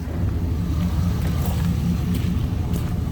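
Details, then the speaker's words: 6.0 LS V8 after replacing spun rod bearings, engine neither fully warm nor cold, oil pressure just over 30 psi: even, deep idle with smooth low rumble and no knocking from the bottom end; normal idle, sounding healthy. "Hopefully she's gonna be a good runner here, so she's quiet though. Up front, don't hear nothing."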